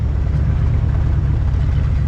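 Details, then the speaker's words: 1976 Jeep CJ5 with 304 V8, revived after a locked-up motor, new fuel filter, hoses and accelerator pump, running from its own tank with fan on and charging: steady, even low rumble, no knocks or stumbles; healthy idle. "It's running on its own tank. We also have the fan back on. We're charging which is awesome. She sounds pretty good."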